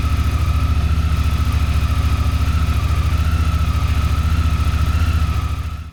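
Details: Honda Africa Twin idling after first startup following valve inspection and tune-up (oil, coolant, plug caps, air filters): steady, even low thump, no ticking or misfire, then shuts off cleanly; sounds healthy.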